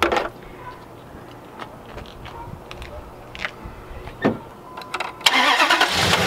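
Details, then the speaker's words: 2003 Dodge 2500 after condenser fan replacement and battery reconnected: quiet idle with a few clicks, then a sudden steady rush of air as the new electric fan kicks on normally. "we're gonna go ahead and start it up and yeah see if his fan kicks on you guys don't know before I do cuz I'm gonna leave you out here so listen for that fan to click on"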